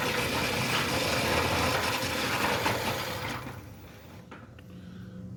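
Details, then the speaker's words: Centurion D6 Smart sliding gate motor on a steel sliding gate, running at normal speed: a rough, rattling roll with a high scraping hiss that fades as it stops; noise attributed to the steel ground track, and slowing the motor is the fix. "Most of the times it's the steel ground tracks that are causing the noise on the gate motor systems."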